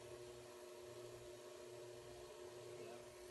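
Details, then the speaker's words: Clear acrylic Flowserve ANSI centrifugal pump on training rig with starved suction: steady pump drone under constant fizzing crackle like gravel; visible bubbles in suction, impeller eye and seal chamber. Pump cavitation from low suction pressure; steel pumps sound louder, like pumping rocks. "this is what a lot of lot of pump guys are going to call cavitation okay this is what that is and on your pumps it will make noise like this too other than all your stuff is steel and not plastic so it's a lot louder sounds a lot more violent sounds like you're pumping rocks"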